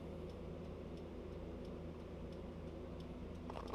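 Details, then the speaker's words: 1999 Saab 9-5, home-made 3-wire to 2-wire trailer lighting converter using salvaged automotive relays; left blinker on with brake pedal held. Faint, evenly spaced relay clicks; relays switching normally. "if we go in here you can hear the relays clicking back and forth letting it go like that"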